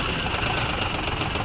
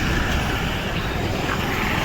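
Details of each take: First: Maruti Suzuki WagonR idling roughly on CNG with misfire and vibration, no check light, fine on petrol: rapid sharp ticking from the engine compartment, traced to a faulty CNG injector. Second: Maruti Suzuki Wagon R after faulty CNG injector replaced, running on CNG: even, steady engine note, vibration and earlier tak-tak misfire noise gone, no tapping or shudder; normal running on CNG.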